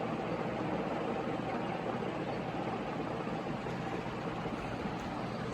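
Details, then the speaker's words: Carroway EF300 industrial ceiling fan on high: steady, even, loud rush of wind, no knocking or wobble; runs normally, bearings fine but starting to make a little noise. "yeah this thing is fast and loud it's a lot of wind noise coming from it the bearings are all right they're starting to make a little noise though"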